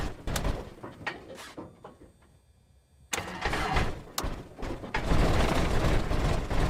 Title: Cessna 172 Cranker Wanker Backfire Startup (Hard Start Lovers Video)